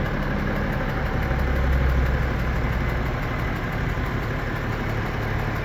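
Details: Hot BMW M57N2 diesel idling, 400+ hp: rough uneven knock, absent when cold and louder when hotter, 30000 km without smoke or power loss; vacuum pump, timing chains, balancer and pulley ruled out; owner suspects injector, high-pressure pump, piston, rings or valve.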